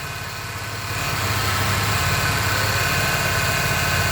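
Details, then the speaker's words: 2008 Pontiac G6 3.5 power steering pump at hot idle after bleeding the air out of the system: smooth, even hum with no groan or whine; the pump sounds healthy. "Oh, well, she sounds good. I don't expect her to be church mouse quiet."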